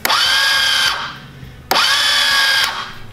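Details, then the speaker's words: 1969 Roof Palomino lawn mower, starter powered straight from the post: two high whirring whines spool up and cut off without the engine turning over. The starter spins free. "it's probably just frozen I'll have to take that off and try to clean it"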